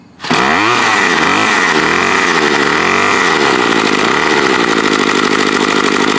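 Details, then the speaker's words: Bolens BL110 25cc trimmer after new carb, fuel lines, fuel filter, spark plug and air filter, carb unadjusted: starts easily, steady high buzzing idle with no air-leak hiss; gasket sealing, normal idle. "Here now, thought I heard it like it's blowing air around something, but now I don't hear it. That's pretty good. Straight out of the box, didn't even need to adjust it."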